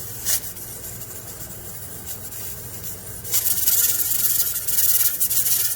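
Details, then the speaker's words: Pressure canner processing potatoes on a gas stove, around 10–13 lb: soft steady steam hiss that swells, with irregular rocking of the jiggler weight; at pressure and working normally. "make sure you leave the door open so you can hear the jiggling"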